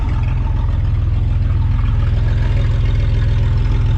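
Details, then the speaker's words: Camaro V6 just running again after gas tank refit, no exhaust fitted; owner plans a pipe with a cherry bomb. Loud, raw, deep unmuffled burble at idle with sharp pulses about two per second. Loud open exhaust at idle. "No exhaust yet. I'm going to put a piece of pipe on it with a cherry bomb. That's all she's going to get."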